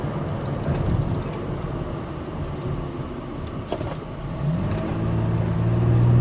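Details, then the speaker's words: 2007 Toyota Sienna minivan on a test drive after refilling very low coolant with 2 gallons of water; gauge had pegged on H and AC failed: even engine note rising smoothly with speed; temperature holds normal, AC cold, no leaks found. "I mean, the engine sounds good. Yes, this may just have been a safety feature with the low coolant level."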